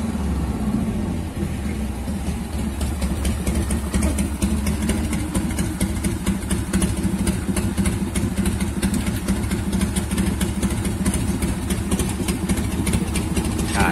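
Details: 1990 Harley-Davidson Fatboy Evo (yellow heads) after carburetor cleaning and refit, following a no-start caused by fuel not getting through the jet. Steady loping V-twin idle with even firing pulses at about two per second and no misses or stumbles: runs properly.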